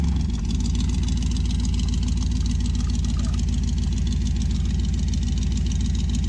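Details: 1966 Dodge Dart GT 273 V8 on its stock-sounding street cam with a 650 carb, before a solid-cam swap, after sitting a while. An even, steady idle with a regular deep pulse and no ticking, knocking or misfire: normal idle.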